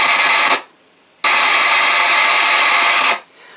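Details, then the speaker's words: Roland MC-505 groovebox, main/mix output after a tone generator IC swap, with digital noise on half of the 8 tracks: track 3 bursts of harsh hissing static of about half a second and nearly two seconds, while track 5 is okay; cause unclear. "Three is all staticky. Five is okay."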